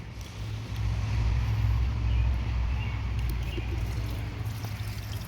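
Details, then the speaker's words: 1987 Toyota 4Runner 22RE after new fuel tank, fuel pump and sending unit install: new pump runs with low steady hum and faint gurgling as it pushes air through lines before fuel arrives; definitely pumping. "all right now let's see if we get fuel so it's definitely pumping"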